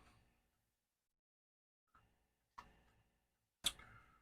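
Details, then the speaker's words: MSD SD-2 Super Disk Drive, caseless, with its fuse apparently bypassed, running a backup from drive 0 to drive 1: a quiet room with sharp, isolated ticks about a second apart as the heads seek normally. "I do want to try back up D 0 to d one because this thing will haul compared to 4040. and like you can hear it it's moving"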